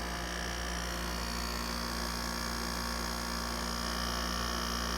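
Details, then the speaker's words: 1989 Panasonic 5000 BTU window air conditioner running out of its case with a good charge: constant low fixed-pitch rotary compressor buzz that never goes away, cause not pinned down. "pressures quieted down a little bit still has that difficult kind of rotary buzz never goes away"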